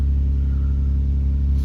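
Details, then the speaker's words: 2000 Toyota Avalon XLS, 3.0L 1MZ-FE V6, just started after the P0441/P0446 fix (PCV valve and VSV replaced). The idle is steady and even, a little high, with no hunting or surging, and the engine runs smooth. "RPM is not jumping. It's a little bit high RPM because I wasn't driving this car for much, I just started it."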